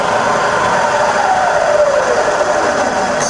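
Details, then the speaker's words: Bridgeport milling machine converted to 240 V single phase, spindle in low range at 50–240 rpm: even quiet motor and gear hum with a soft tone easing slightly in pitch, no knocks or grinding; normal spindle running. "i fire up in low it's just as quiet and low but now we're doing 50 to 60 rpm there's 140 and that's on to 240 and you can hear it's lovely and quiet"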